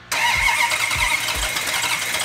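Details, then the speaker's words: Hemi V8 in a fire-damaged 'Cuda, first start after restoration with fuel in carburetors and oil pressure confirmed: bursts into life, settles into a loud, slightly uneven idle; timing not yet set, needs advancing. "you know it's very rare that when you fire one of these engines up that right off the bat you have the timing set perfectly"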